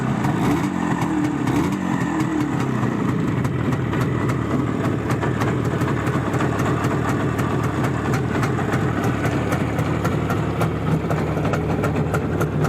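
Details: Balanced Izh Jupiter 5 two-stroke engine at idle: even, busy idle with a steady crackling beat and no metallic ringing; ringing was blamed on factory piston geometry (excess taper); now sounds healthy.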